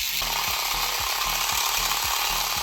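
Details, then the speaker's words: 1980s Tomy Turnin' Turbo toy dashboard during repair: with the fuel reset, a steady high motor whir with a light regular tick from the turning cogs; the road moves and the fuel panel slowly comes down, so the gear mechanism runs normally. "There we go. So the road's moving. Our fuel panel is slowly coming down as well. Lovely, right, so that's all looking to be working."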